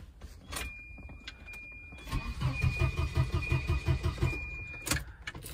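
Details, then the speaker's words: Volvo 240 that died while driving, cranking after fuel pump relay swap: starter churns steadily nearly three seconds under door chime, never catches, no fuel pump hum heard; crank no start, relay ruled out as cause. "grab the key see if we hear any fuel pumps I still don't hear them"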